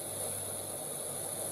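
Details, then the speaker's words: Instant Pot-style pressure cooker with valve on sealing, set to pressure cook two minutes, about 45 seconds in: steady soft hiss with faint high whistle while coming to pressure, normal, then the pin goes up. "you're gonna hear these noises when it's coming to pressure there you go the pin went up"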